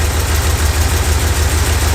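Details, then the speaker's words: 1971 Mopar Satellite V8 at idle: lumpy, uneven beat with missing pulses, and the rear cylinder only fires occasionally. Compression test found one cylinder at 30 psi (probably head gasket) and one at zero. It ran well on all eight before sitting. "You listen closely once in a while, you hear that rear cylinder fire off."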